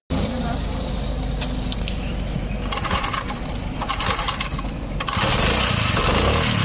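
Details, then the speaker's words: Single-cylinder kick-start bike, warm engine: starts after one or two kicks but stumbles and dies when throttle is opened, running rough and patchy; problem worse in winter cold mornings; lean carburettor mixture starving it. "एक दो किकें मारो फिर start हो जाती है, जैसे ही race देते हैं तो बाइक बंद हो जाती है। दोस्तों देखें, ये मसला होता है सर्दी में ज़्यादा।"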